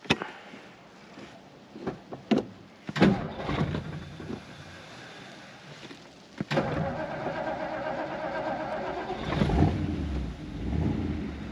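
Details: 1957 Ford Fairlane 500 Skyliner, 312 Y-block V8, 4-barrel Holley, Ford-O-Matic 3-speed, 6,666 miles, fresh 10W30 oil change and light tune-up: a few clunks, then catches into steady, even low rumble; normal start-up and idle.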